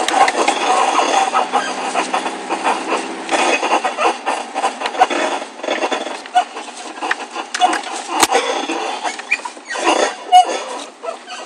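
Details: Car turning slowly into a parking area: irregular squeaky creaking and rubbing from the front suspension; the driver's side ball joint later broke, and the noise was gone after repair.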